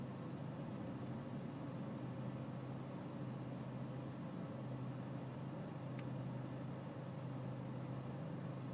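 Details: BMW E46 320cd diesel at low engine and outside temperature: low idle clatter with a slightly uneven, lumpy beat over a steady hum; a rough cold idle, cause unclear.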